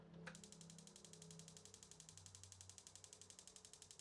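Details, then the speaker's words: 2025 Wayfinder Go Lite Boulder Back RV stove: fast steady igniter clicking, about four a second, before the burner slowly lights; slow lighting possibly from air in propane lines after tank refill. "So there we go. We got the burner to light. Now, you saw how long it took to light that. That could be because you just refilled your propane tank and air got in the lines."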